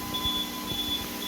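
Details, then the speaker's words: Rebuilt APC 3000 UPS, on battery for about an hour five minutes powering an Arista 7050 and a Dell R620: thin high-pitched beep groups over a low fan hum, battery nearly exhausted. "this guy here looks like she's about to go this one's not beeping yet this one is"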